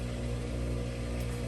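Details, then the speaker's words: Samsung washer (WF45H6300A/WF45H6100A) after replacing the vibration sensor for error 8E1, which had stopped the cycle before rinse. On the rinse/spin test, a steady low motor hum with no knock or rattle: normal operation. "make sure that it's working just give it a quick setting on the rinse spin and verify that it works"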